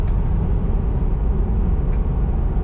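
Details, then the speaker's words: Nissan Xterra brought in for a suspected transmission issue, road test after repair: steady engine and road drone, maintaining speed with no problem, no rattles or drone changes; running normally. "okay so it's maintaining speed no problem"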